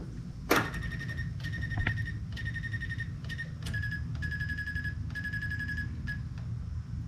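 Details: GY6 150cc Maddog scooter with newly fitted electric fuel pump, float bowl and fuel line empty: in a quiet room the pump clicks about once or twice a second with a short buzz each stroke, priming normally.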